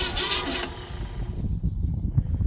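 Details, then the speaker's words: 1936 Oldsmobile engine, not run in 25+ years, start attempt: a sharp backfire crack, then slow, uneven cranking that never catches. Ignition timing set wrong; it needs re-timing from cylinder number one. "Backfire. Somehow I didn't do the timing right."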